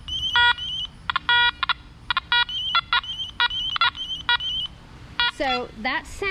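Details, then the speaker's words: Nokta Macro Multi-Kruzer metal detector: a choppy, warbling high tone in short repeated bursts. This is the overload warning, triggered when a ring and a penny are held close together. "let me get the camera closer to the detector hopefully you can hear it it was giving an overload sound"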